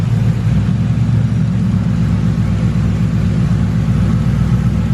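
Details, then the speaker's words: 2000 Ford Crown Victoria with check engine light and hesitation, new MAF sensor installed but still erratic: with the MAF unplugged the engine holds a steady, fairly even idle instead of shutting off, even seeming to run better; cause not pinned down. "the car even seems to run better without it plugged in but that's the issue because now my car can't detect how much air to fuel the dump to make the car run right"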